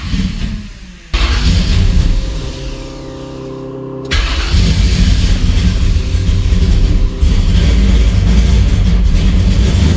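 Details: Camaro V8, cold-blooded, after timing tweaked at the distributor: catches after a short crank, deep even rumble with clean rev; ignition had been failing with cylinders one and two running cold, now firing on all cylinders.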